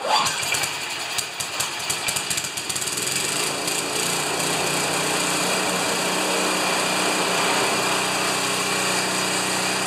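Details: John Deere TRS 24 snowblower started for a test after repair. It catches after a few ragged firings, then settles into a steady, even buzzing run with no knocks or misses. It is running normally.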